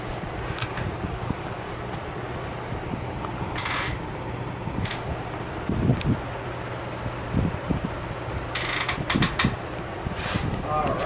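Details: Emerson Casablanca Classic ceiling fan, motor-only unit with loaned blades and light kit, switch housing loose: quiet steady low hum on high, with a few handling bumps, no rubbing or clicking; normal running.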